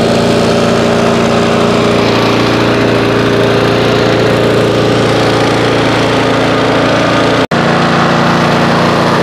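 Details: Auto-choke mower, stored 5 months on ethanol-free fuel without stabilizer, about 30°F, started after roughly 30 pulls; owner suspects auto choke caused hard start: steady, even drone with one brief dip near end; normal running.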